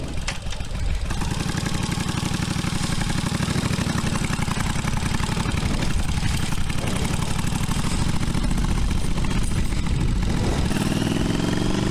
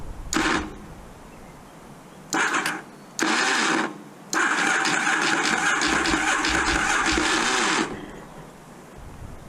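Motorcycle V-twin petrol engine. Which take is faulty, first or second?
second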